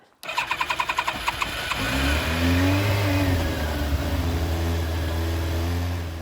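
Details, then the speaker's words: Restored 25-year-old Yamaha FZR1000, first start in six years after carb cleaning and a restored fuel pump, no choke: quick cranking, then fires into a steady, even run with revving. Smoke is oily residue from a valve. Normal cold start. "well didn't go bang though i did give it a thorough check over for leaks and strange noises fortunately that smoke is just the oily residue burning off the head from one of the valves"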